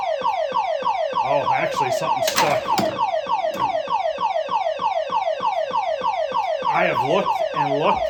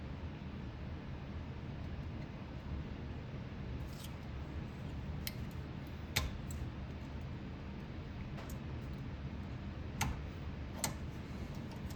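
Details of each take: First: Silverball Mania pinball machine at power-up: fast falling electronic chirps loop nonstop, about one and a half per second; owner suspects a sticking switch but checked every switch and cannot find it. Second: Silverball Mania pinball ball kickout, previously seized and rusty, shaft wire-wheeled and cleaned: crisp single clacks every second or two over faint hum, clean firm strokes — kickout operates perfectly after repair.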